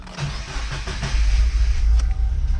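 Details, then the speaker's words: Subaru FA20DIT engine cranked with fuel pump disabled: starter churns in a steady low beat, engine briefly catches and stumbles on fuel remaining in the lines. "okay guys in the diy it also mentioned to give it uh a good few cranks to make sure it doesn't you know crank over"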